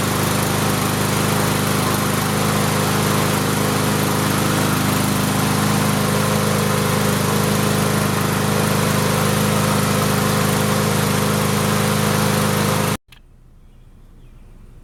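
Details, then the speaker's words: Free Cub Cadet Signature Series push mower after the governor was adjusted and a suspected small blockage cleared: a steady, even single-cylinder drone at one speed for about thirteen seconds, then shut off; it runs normally. "There was probably a little blockage of some sort and it cleared out and then started running normally."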